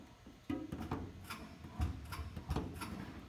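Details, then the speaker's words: Beechcraft Bonanza inspection, right aileron pushed down: sharp irregular clicks about two a second inside the aircraft as the autopilot roll servo's 1/16-inch cable clamp catches near full down travel. "when I pushed down on this right aileron it goes almost all the way down and then it there's something that catches you can hear it inside the airplane something making a noise in there"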